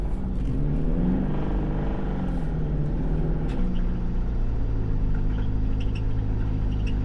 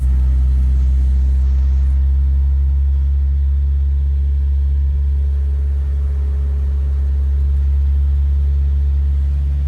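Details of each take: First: Car with an engine already known to be toast, recorded while driving: rough uneven engine note with a knocking undertone through the revs, sounding much worse than before; engine knock, cause unknown. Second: Car driven home with locking pliers on the missing steering wheel, engine droning steadily and evenly with no knocks or misses; drives fine despite a toasted upper control arm.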